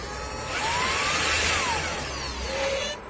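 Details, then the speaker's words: Shark StainForce (HX100EUCP) stain cleaner as the brush spins up after suction starts: high wavering squeak over suction motor hum; brush roll squeak, owner suspects a squealing bearing. "Je sais pas pourquoi ça grince comme ça. Comme s'il y a un roulement qui couinait."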